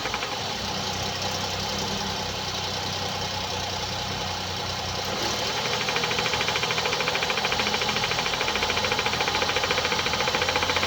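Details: 2017 Hyundai i30 (PDE), 2.0 L G3LS petrol, 88 kW, 77,160 km, at idle: quick steady tick about three per second over a smooth idle; defective hydraulic lifters suspected.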